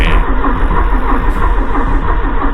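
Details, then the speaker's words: 1984 Porsche 944 barn find stored 20+ years, after belt job, new plugs and wires: cranks steadily with even chugs and decent compression but never catches; no fuel, suspected seized fuel pump. "joy as you can hear its cranking over well has decent compression gain in other words the belt job seems fine and so it begins we troubleshoot and no start problem"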